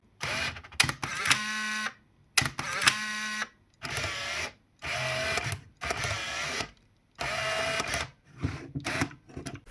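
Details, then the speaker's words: Nikon film camera; the clip follows the announcement of a Nikon F50 comparison after the F801 (N8008), so which body is heard is uncertain. A crisp shutter clack, then a short buzzing motor wind, repeated frame after frame. Normal shutter and film advance. "И вот этот звук, он означает, что мало того, что был сделан кадр, за это время еще и перемоталась пленка."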